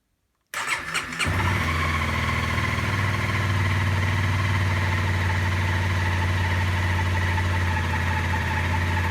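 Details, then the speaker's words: Honda CRF250L after fitting a 13.2 l (3.5 gal) aftermarket tank, first start with little fuel in it: quick crank catches within a second and settles into a steady, even idle, no knocks or misses; normal. "Okay, big moment. That sounds normal. Indicator, okay."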